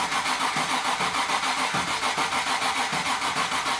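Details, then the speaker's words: Land Rover Defender 130 V8 petrol pickup that has been starting poorly despite ignition work; owner suspects the fuel pump: starter grinds on in steady beats, about three per second, without catching. "It hasn't been starting very well. We've done all the ignition. I think it's the fuel pump."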